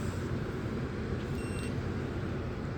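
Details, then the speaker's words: 2024 Midea 12,000 BTU inverter window air conditioner (MAW12V1YWT-S), indoor fan switched to high speed: even, steady airflow rush weighted toward the low end, no rattles, ticks or squeal; quiet enough to talk over, normal operation. "here's high speed and as you can hear even on its highest indoor fan speed it is I can talk normally over"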